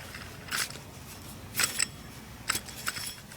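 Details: 2007 Honda Odyssey EX-L, serpentine belt tensioner removed and pulley spun by hand: dry uneven clicks and rough scrapes, bearing has play; worn tensioner pulley bearing, replaced with new tensioner and belt.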